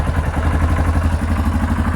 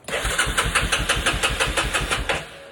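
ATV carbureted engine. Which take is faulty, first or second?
second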